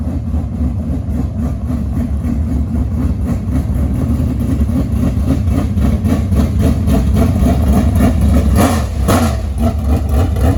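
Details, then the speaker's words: Barn-rescued 1967 Chevy Nova project V8 (described as a little 604): deep, even burble at idle swinging up cleanly when revved, no knocks or misses; normal idle and revving. "So all in all, very happy. It moves, it sounds good."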